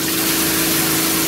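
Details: New water pump on a 1980s 36ft Springer narrowboat, with the shower on hot from a Cointra CPA11 LPG boiler reaching temperature. A steady hum under constant flow with no sputtering or surging. Normal pump operation.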